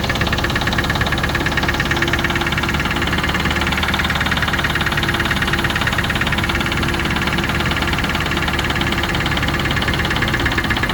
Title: Range rover classic 3.5 v8 engine knock....video after 10secs.